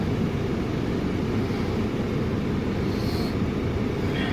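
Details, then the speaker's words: Audi A4 B6 TDI Quattro with water ingress and electrical faults, missing fuses: heater blower runs with a steady low rushing whoosh, no ticking or scraping, despite a wrong-rated fuse fitted; blower working normally. "you can hear the heater blower working there just now, even though it's got the wrong fuse in it."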